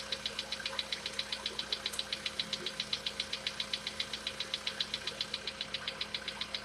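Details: Sharp, high-pitched, steady ticking about 2.5 per second over a quiet idle on a VW Polo Sedan with CFNA engine; cause not pinned down, and the owner tests whether decarbonization cures this knock.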